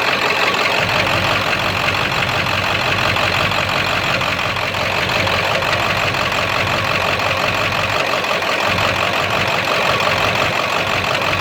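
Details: 7.3 diesel rough runner with no power, after high idle and street mode, going to bypass: loosely regular knock about three a second with unsteady beat, owner says sounds like rod knock; raw-diesel puffing smoke, EGTs good, owner stumped.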